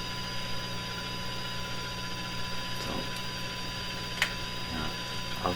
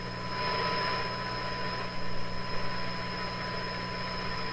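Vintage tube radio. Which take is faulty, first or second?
first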